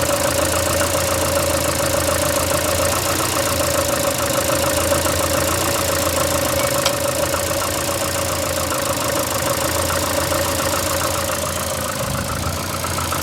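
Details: VAZ 2115 8-valve at idle: faint light tapping with a droning rub over the engine. Started after cylinder-1 head gasket blew and antifreeze and 5W40 oil were changed; check-engine light on, brief jerks while driving. Origin unknown.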